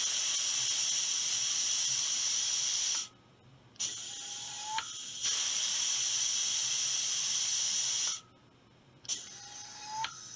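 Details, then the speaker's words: Air rifle booster pump filling from a source tank, drive air regulated to 125 psi, about 2,500 psi in the tank: long hissing strokes about five seconds apart, each ending in a quick tink/chirp as the actuator releases; normal pump cycling. "so when I press the actuator you'll hear the stroke you'll hear it go tink and then you let off"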